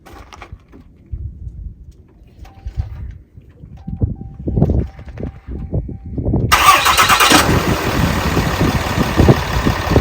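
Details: 2014 Ram 2500 6.7 Cummins diesel after valve adjustment: few quiet cranking thumps, then catches into even, steady clatter with no misses or knocks; normal diesel idle.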